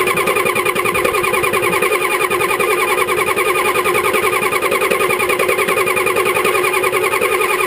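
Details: 1985 Ford 6.9L IH diesel after sitting about 5 months, glow plugs disabled by failing controller, probably somewhat low compression: steady labouring starter churn at about 78 turns a minute that never catches; hard start, long cranking.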